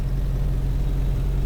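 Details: 1951 Henry J survivor idling after revival, oil pressure and amp warning lights out: low, steady idle with even, unbroken beat, no knocks or misses; engine running smoothly.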